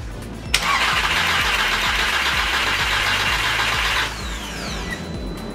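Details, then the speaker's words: Mk5 Jetta Wolfsburg VW 2.0T TSI, rebuilt after a seized balance shaft, cranked with coil packs disconnected to build oil pressure: even starter cranking under a steady whir, no valve-to-piston tapping heard, a normal crank. "we're going to give it a quick crank just to get some oil pressures through the engine and get some oil all over it and hopefully we don't have any issues"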